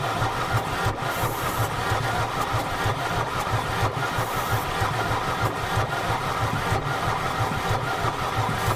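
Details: Mercedes 300D diesel, sat three years in grass, water in the fuel system: even starter chugging at about three compressions a second with no firing at all; cranks but no start, water in fuel suspected.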